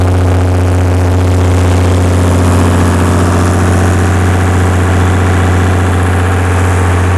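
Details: Perkins six-cylinder diesel generator after injection pump reinstall, recalibrated injectors, new fuel filters, cleaned pump (governor issues remain): steady, even drone holding speed, maintaining 60 Hz at about 45 kW without hunting; normal running under load.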